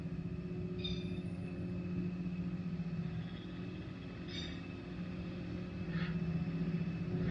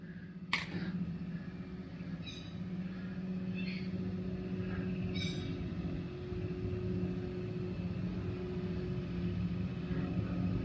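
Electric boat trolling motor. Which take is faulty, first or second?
first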